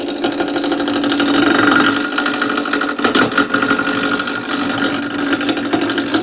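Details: Wood lathe roughing a square blank for a top with a gouge at slow starting speed: steady motor hum with light, quick ticking as the corners clip the gouge; normal until the blank turns round.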